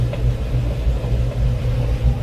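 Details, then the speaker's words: Kenmore stacked washer/dryer after broken dryer belt replacement: steady low rumble and even hum with no slapping, squealing or scraping as the switch is pressed; drum turns smoothly on the new belt, repair worked. "And we'll see if the cylinder will turn. And as you can, as you can see, it is turning. So, the work paid off."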